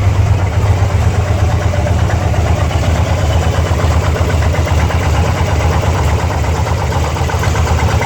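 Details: 2002 Harley-Davidson Ultra EFI Twin Cam V-twin idling with a persistent irregular ticking and clatter over its deep, lumpy beat; abnormal engine noise of unknown cause.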